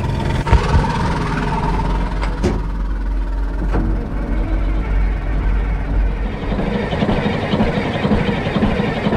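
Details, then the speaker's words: Caterpillar 3406C diesel with mechanical injection pump being bled of air, firing on about two cylinders plus the starter; heavy labored uneven cranking beat that slowly picks up speed as lines bleed: rough start from air in injector lines. "now when we go and fire up the engine again you're going to hear the engine slowly pick up it's running off two cylinders plus the starter motor and it'll turn over a lot quicker and eventually it'll"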